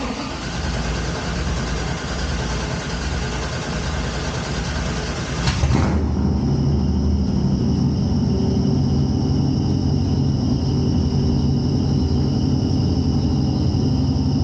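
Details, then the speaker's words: Engine "Twisted Sister" with long-tube headers, no cats and no mufflers run all the way out the back. Hesitant start, then it fires into a slightly uneven loping idle with a thin steady squeak of unknown source riding over it. "That squeaking is, we'll figure that out. But as you can hear, that already sounds a little different than Fireball's OG motor. Like it's got a little bit of a lope to it."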